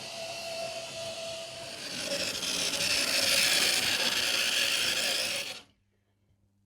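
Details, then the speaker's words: Model loco Ringfield motor in a cold shed, already serviced with pinions not slipping: harsh high-pitched screech building for a few seconds as it jerks into life, stopping with it; the dry shaft bearing needs oil. "oh there goes jerking into life and already you can hear it start to squeal that sounds horrendous it's exactly the same noise"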